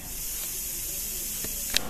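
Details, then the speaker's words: Winner WR-1803 pressure cooker releasing pressure after cooking, cooled by lifting the safety valve or under water. Steady soft hiss of escaping steam with one faint click near the end means pressure has equalised; normal depressurisation. "через минутку две вы услышите шум скороварки и это будет означать что давление сравнялось"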